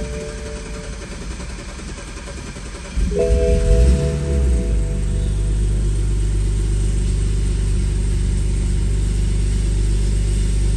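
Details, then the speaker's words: 2014 Jeep Wrangler after reinstalling injectors to address a misfire: starter catches near three seconds, then smooth even idle with steady low rumble, healthier than before; normal idle. "all right so I gotta pulled out here and it sounds very healthy did not sound like this before sounded very weird before even when it wasn't misfiring"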